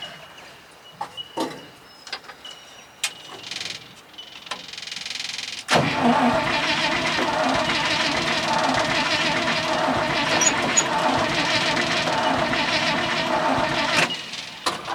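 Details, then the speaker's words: 1966 International ACCO truck, petrol V8 after sitting, first start attempt: a few clicks, then the starter cranks steadily for ten seconds with no firing; owner suspects it is flooded, and these always start hard. "They've always been a bastard thing to start these. Any of them I've got are anyway. I think she's flooded."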